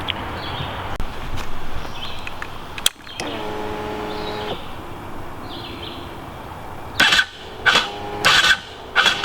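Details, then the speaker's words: Aprilia RXV small V-twin enduro: short strained starter bursts bog and stall against compression, several tries; starter itself fine, owner blames wiring harness (already upgraded); slow labored cranking. "Case in point, it does that crap. You can see I'm pretty much stalling the starter against the compression of the engine. That is not an uncommon thing for this bike."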